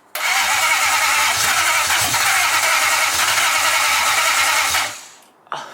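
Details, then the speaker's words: 1UZ V8 swapped into a Nissan 240SX S14, start attempt after retaping frayed starter wires: steady starter churn about five seconds with no firing; no injector spray heard, fuel not reaching, so it cranks without starting. "I don't hear no no spray yeah I don't either"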